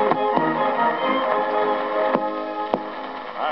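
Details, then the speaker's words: 1934 Marconiphone demonstration record. Broadcast music carries a rough hiss and sharp clicks from a neighbour's electric sewing machine; the motor causes interference and clicks at each start and stop. Electrical interference with reception. "Somewhat similar is the interference you may get when someone in the neighborhood is operating an electric sewing machine."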